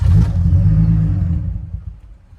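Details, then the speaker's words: Nissan Z (Z32) at startup: the fuel pump kicks on, the engine catches with a brief rough rumble, then sags and dies within about two seconds. It runs fine if kept on the gas. Stalls right after starting. "It almost wants to stay running, but then it doesn't. But if I keep on the gas, it runs no issue."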